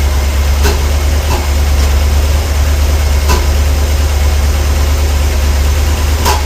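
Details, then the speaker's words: 454 V8 just reassembled, timing about 36° total advance, four mufflers: deep rumbling idle with faint irregular pops every second or so; owner unsure whether a bad spark plug or sticking lifter; popping stops when warm until revved – engine popping. "that popping I don't know if that is a bad spot bugs or a lifter sticking"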